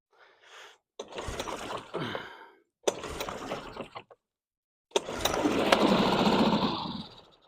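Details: Two-stroke outboard, first start of the season on choke: two short pulls with weak sputters, then a brief two-second buzzing run that fades out, with fuel pouring out afterwards. Owner thinks it flooded. Starts briefly, then stalls.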